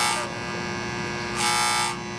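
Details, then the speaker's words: Amana condensing unit that was cutting off on low pressure, now with leak fixed and charge corrected: a steady electrical buzz with a harsh rasp as the coil pulls in. Contactor humming; ants inside, pitted and burnt contacts, contactor replaced. "Alright, we got the charge right, but I see why the contactor's humming. If you look right here and you watch these little fellas crawl, you can see we got ants in here."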